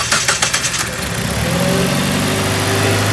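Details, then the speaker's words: 2008 Jeep Patriot after new spark plugs, tune-up for P0300-P0304 misfire codes: a few quick cranking bursts, then catches and settles to a smooth, steady idle with no stumbling or misfire. Normal start and idle. "So after all that installed, fire the car up. Make sure it runs."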